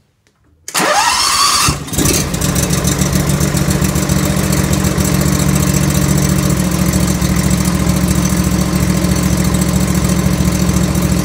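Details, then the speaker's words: Z2 riding mower after repair: muffler heat shield that pulled through and rattled at certain rpms was pushed back into place. Engine now runs steadily with a smooth low drone and no rattle at any speed. "so what it would do before is uh this would flop around and rattle at certain rpms so looks like we're good a little quick fix you"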